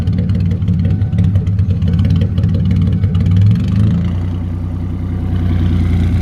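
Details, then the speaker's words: Car on a cold misty morning, MAF sensor reading about one volt instead of the usual 4.5 V, fried by a faulty harness connector short: uneven sputtering idle that rises, evens out, then sags as voltage drops; rough surging idle from faulty MAF. "yeah the sputter as it goes up then you can hear she actually evens out and then of course it starts dropping again as the voltage drops"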